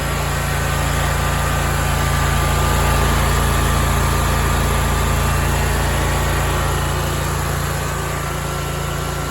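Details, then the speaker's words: Big Dog Stout lawn mower that had surged at low idle for two years, heard after new welch plugs were installed: a smooth, even idle with no rise and fall. The surging is fixed. "well there you go guys we got it fixed that's awesome"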